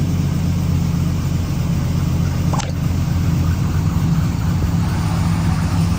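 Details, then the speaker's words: 1999-06 Chevy Silverado V8 on first start after installing Flashark cold air intake, run into a full MagnaFlow exhaust: deep, even idle burble with steady rumble, no knocks or misses; healthy idle. "So I'm gonna go ahead and fire it up, see what it sounds like. It sounds so good."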